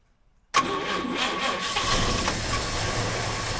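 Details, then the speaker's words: 1951 Chevy sedan, 216 straight six, stored six years, running briefly on gas poured down the carb and fed from a bottle: catches sharply, rough uneven idle, then stalls. Owner suspects fuel pump issues and debris in the fuel system. "so I switched to a water bottle here with gas in it I was trying to keep it going as long as I could on the bottle but it's I think it's having fuel pump issu there's a lot of stuff in the system"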